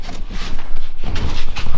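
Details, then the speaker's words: Hyundai i10, front right sway bar end link nudged lightly by hand gives dull loose clunks; worn link that knocks over small bumps and manhole covers. "und das problem hier das sind jetzt ganz leichte schläge die ich mache aber wenn das auto über ganz kleine bodenwelle fährt gullydeckel oder eigentlich ist dann haut da"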